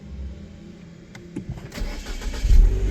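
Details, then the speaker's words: MiniVan after a sticking relay was freed, re-tested with the ignition: brief starter cranking, then the engine catches cleanly and rises to a steady run, no clicking; engine warning light also gone. "Là, ça marche quand j'appuie sur la [ __ ] C'est que ça marche les amis."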